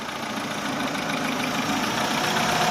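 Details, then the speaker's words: Chevrolet Aveo with check-engine light since a DIY AC recharge: idle climbs steadily with a rough hiss, rpm swinging up when the hose is released. Cause found: cracked EGR recirculation hose running to the throttle body, a vacuum leak. "ผมมาครับทุกคนเราก็เจอแล้วนะครับสาเหตุก็คือท่อตรงตรงนี้แหละครับตรงที่มันออกจากตัวEGRวิ่งบนเข้าไปใช้ใหม่เข้าไปที่ปีกผีเสื้ออีกครั้งหนึ่งนะฮะคือท่อมันมีการแตกนะครับ"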